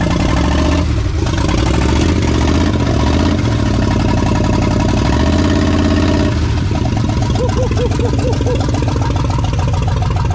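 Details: 1979 Chevrolet C10 V8, first start in years after farm-field rescue: deep, full rumble running steady and strong, picking up cleanly with throttle; running normally.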